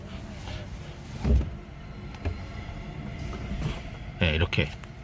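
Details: 2019 Hyundai Kona EV, steering at full lock while pressing accelerator then brake: intermittent sharp ticks and clunks over quiet electric hum, recorded with window open; drive shaft spline ticking, believed from dissimilar metal expansion.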